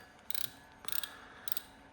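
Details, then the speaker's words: Serviced PENN Sargus 8000 spinning reel, over 10 years old, back from factory repair: three quick bursts of crisp, even clicking as the handle turns, with no grinding; working like new. Normal ratchet and gear operation. "This reel came out probably over 10 years ago and working like it's brand new."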